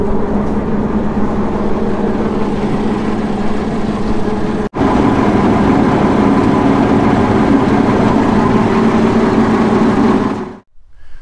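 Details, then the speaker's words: Restored Alvis Stalwart Mk1: in neutral with the clutch released, swim gear drive engaged by lever, the prop shafts spin. Heavy engine holds a steady, even drone with a low churning from the prop shafts underneath. Normal running. "So we just dip the clutch, make sure it's in neutral, pull this little gate up, that goes back, and then we release the clutch. You can hear the prop shafts there now spinning, which I'll now show you."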